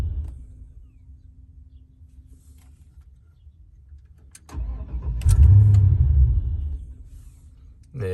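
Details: 1994 Chevrolet Impala SS: quiet cranking, engine catches and revs for a second or two then stalls about 1.5 seconds later; fires but won't keep running, cause unknown.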